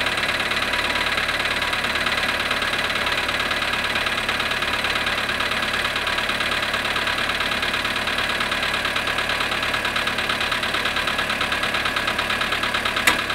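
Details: Cold start of a Polo sedan at -7.5°C after sitting 12 hours: sharp metallic tapping, about three knocks a second, over a cold idle; engine knock on cold start.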